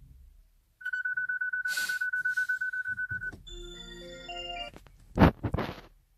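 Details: Hyundai Ioniq Electric won't start, brakes problem shown, key not detected, start tried by pressing the key on the start button; steady pulsing beep for several seconds, then a string of chimes as the start fails.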